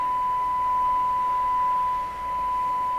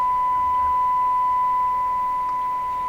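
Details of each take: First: Ford Zenith 6MF780 car radio during IF alignment, first alignment step. A steady, pure tone of about 1 kHz holds with almost nothing behind it. The test tone shows the IF transformers are far off frequency. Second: Ford Zenith 6MF780 car radio during IF transformer alignment: steady, clean, strong test tone with no hum or warble; receiving properly after alignment.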